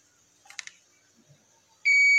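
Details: Continuity buzzer on Yamaha NMAX 155 (old model) ISC wire, rechecking after a broken copper wire was found and cut open (error code 61). Faint taps, then steady unbroken high buzz: continuity confirmed on remaining section.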